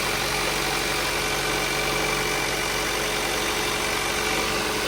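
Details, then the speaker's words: Freshly installed Hyundai/Kia 1.6L Gamma four-cylinder at first start-up: steady even hum with no knocks or misses; it may run a little rough until fuel and oil circulate and settle. "Let everything work through all the fuel and the fuel injectors. Let everything circulate. The oil has to pump through all the actuators and everything, so it may run a little rough until everything settles down."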